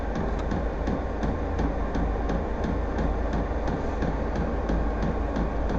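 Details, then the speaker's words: VEVOR heater just lit and starting to heat after its first start, exhaust getting hot: steady low roar with a sharp dosing pump tick about every third of a second, running normally though the owner finds the noise annoying. "Ah si, ça y est, ça commence à chauffer. Ça y est. J'espère que le bruit va s'estomper quand même parce que c'est un peu pénible."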